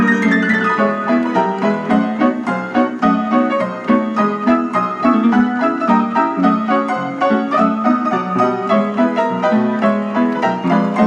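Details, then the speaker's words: 1926 Kohler & Campbell player piano playing "The Glow Worm" roll before its annual tuning, on original worn-out cloth: the tempo drifts faster and slower as more notes play, from weak motor and governor bellows. "I don't know how well it comes across in the video, but you can definitely hear it speeding up and slowing down depending on how many notes are played."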